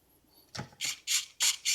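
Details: Traxxas 1/16 E-Revo VXL with a replacement Traxxas 2080R metal-gear servo fitted after crash damage: five short, crisp, even whirs as the steering sweeps back and forth. Normal servo operation.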